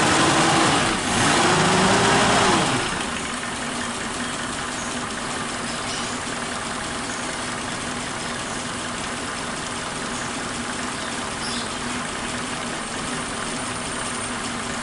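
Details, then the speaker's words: Warm carbureted Suzuki Katana engine idling slow and thin at about three pulses a second, steady but sluggish, after carburetor cleaning; idle air/mixture screw set too tight: lean idle mixture. "terlalu kencang ya setelan anginnya, jadi putaran mesinnya itu rendah, terlalu hemat."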